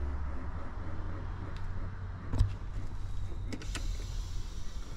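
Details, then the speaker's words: Mercedes G63 W463 seat bolster air pump (OEM 000 800 25 48), located next to the battery, after repair: a steady low electric buzz holds evenly while the bolsters inflate; normal air pump operation. "I don't know if you can hear it kicked on and it's working like it's supposed to"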